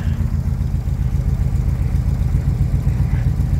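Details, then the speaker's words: 1975 Chevrolet K20 350 V8, cold start about 22°F after a month and a half sitting, choke on but no high idle set: low, lumpy burble with uneven, unsettled beats at slow idle; rough cold idle. "poor old Betsy is a little cold"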